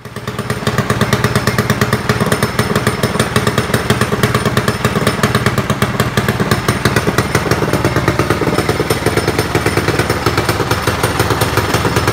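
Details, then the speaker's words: Predator single-cylinder small engine (open class) on first warm-up after installing an upgraded cylinder head with strong CFM and matched camshaft; crisp firing at a steady, even beat with no knock or clatter, running healthy. "So that sounds pretty good. I'm looking forward to this weekend."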